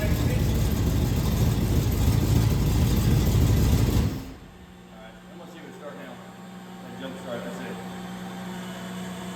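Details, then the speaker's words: 1968 Pontiac Firebird with MSD distributor, first start after about 40 years, coil jumpered directly to battery after voltage dropped on cranking: rough running for four seconds, then a low, steady, even idle; healthy idle right from startup. "And that's when it fired up, stays running, and it runs great actually. It's not a bit noisy. And it idled right from startup, which is weird."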